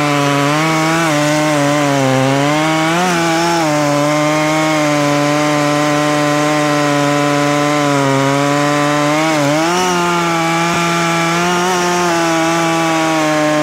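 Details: Poulan Pro two-stroke chainsaw, owned about 12 years, after seasonal clean-up: strong high-revving buzz sags slightly as the chain bites into wood, then recovers, popping the owner likes; saw pulls cleanly, normal running under cutting load.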